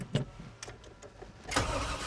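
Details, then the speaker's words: 1991 GMC Suburban off-road build, stalled on trail: short uneven cranking bursts while pumping the pedal, never catches; crank no-start because it ran out of fuel. "it and pump it no fuel well we broke it just not in the way we wanted to"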